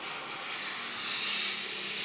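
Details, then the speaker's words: Refrigerator with evaporator leak, pressure only about 0–5 psi above zero, compressor running and evaporator hissing; capillary line cut open to test, steady thin airy hiss of escaping gas; refrigerant leak, low charge, not a blocked capillary. "ini dari data kapiler ini sudah pasti bolong karena apa satu bunyi evap kemudian tentu kompresor hidup"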